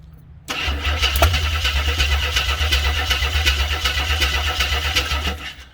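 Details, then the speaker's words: 1983 AMC Concord Limited, 258 inline six, driveshaft out, in park: on starting fluid sprayed into the carb it catches rough and uneven for about five seconds then dies; no fuel reaching the carb, won't run without it. "Won't even consider running at all without feeding fuel down it."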